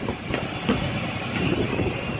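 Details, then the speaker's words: Truck idles with a steady diesel rumble after hooking up a trailer; the air hiss has stopped because the trailer air system is fully charged. "You can hear that the air is now all in the trailer. You don't hear it hissing anymore, filling up."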